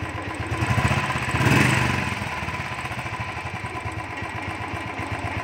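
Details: Royal Enfield Thunderbird 350 single-cylinder, after changing the butterfly to cure a starting problem and misfiring: steady idle at about four even beats a second after a brief blip, with no misses. Normal idle after repair.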